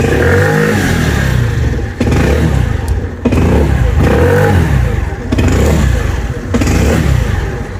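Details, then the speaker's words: Scooter (Cappuccino 50, new-body fuel-injected model) with fault light on: started and throttled, the small engine revs then repeatedly cuts out abruptly and picks back up. "motorumuzu çalıştırıyorum çalıştırdım gazı veriyorum kardeşim yakıyor ve istop ediyor"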